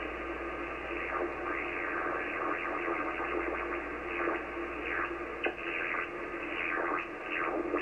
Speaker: hilarious noises on 80 meters depends on the pressure